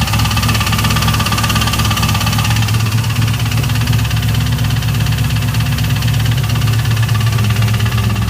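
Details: 2002 Camaro Z28 V8 idles steadily with a dull, somewhat irregular deep knock underneath, about 85 a minute, and the owner suspects a spun bearing.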